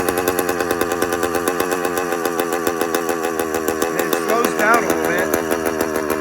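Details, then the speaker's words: Motorized bicycle with a 100cc two-stroke kit engine: rapid, raspy buzz at idle that surges and sags instead of holding steady after the idle was adjusted; the idle keeps hunting in rpm, and the owner is unsure why. "It also keeps fluctuating in RPM and I'm not sure why the engine pick up"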